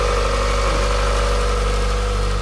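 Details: Mazda Miata idling after restart on a charged, previously dead battery, following battery light and coolant boiling/overheating; smooth even idle, steady low hum, no knocks, ticks or belt squeal, sounding much better.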